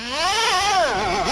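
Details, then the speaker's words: Redcat Earthquake 3.5 nitro RC truck on 30% nitro fuel: engine screams up then pitch sags and wavers, bogging badly at high throttle and not shutting off; owner says it smokes so not lean, fuel tank already replaced, cause unknown. "it just box down so much motors not shutting off"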